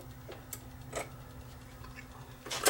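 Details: JVC QL-F4 direct drive turntable: quiet hum, soft clicks and a final clunk as the tonearm returns to zero and the platter stops after play; normal auto-stop and return.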